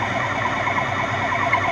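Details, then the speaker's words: Lathe turning a relief cut on a trapezoidal tap blank between centres; steady high singing tone from moderate shaft vibration due to the wide cut; normal for a machine tool on this setup. "Bon, que vous avez entendu le phénomène de vibration, c'est normal, hein, une machine-outil ça vibre. C'est normal qu'elle vibre, d'accord."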